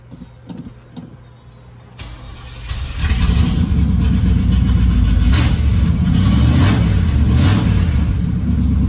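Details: Third-gen Trans Am after a header install, running on just the open Y pipe with bolts tightened: it starts into a loud, lumpy V8 rumble, steady, with few or no exhaust leaks heard. Normal idle.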